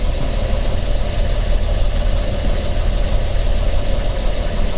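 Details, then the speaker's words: Petrol car idling: deep steady low knock under the running sound; owner identifies it as rod knock. "Probably hear the rod knock a lot better from in here."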